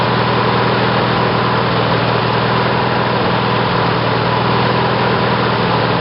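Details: Briggs & Stratton 18 hp twin OHV engine (model 822707), first run on battery ignition with GM LS2 coils triggered by failed magneto; steady fast even drone, no misses or pops; running consistently after ignition change.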